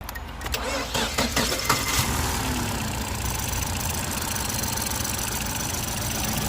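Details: 2015 Ford Fusion that only clicked and would not start because of a bad battery under 12 volts (alternator and starter tested fine): starter churns briefly, engine catches within two seconds, settles to a smooth even idle.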